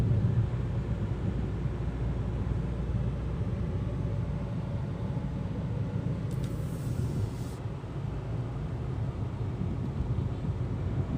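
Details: Hyundai Creta automatic, in-cabin recording at about 65 km/h with AC on; steady low road rumble with little tyre roar or wind hiss: normal quiet cabin road noise.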